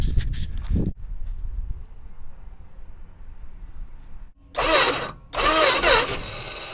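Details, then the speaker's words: 1963 Dodge 330, unstarted for about 25 years, cylinders pre-lubed, on a battery borrowed from a Durango plus starting fluid: bursts of cranking, then ragged sputtering firing that never settles into an idle; engine close to catching. "oh no way turn over it was a little starting fluid it's going it is moving"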